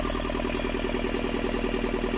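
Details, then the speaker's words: Moody 346 sailing boat diesel running after the tank-to-fuel-filter pipe was refitted with new washers to stop a diesel leak. A steady, even clatter with a regular firing beat and no misses or knocks: it runs smoothly. "He's replaced some of the washers so it should be tighter, and the engine's going, and that sounds a lot better than the rest."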